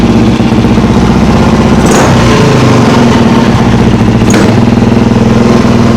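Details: Friend's single-cylinder motorcycle after a carburettor rebuild with a new accelerator pump diaphragm: uneven thumping, stumbling and bogging on throttle blips. Owner suspects low fuel on reserve, and earlier loose clamps letting it suck air.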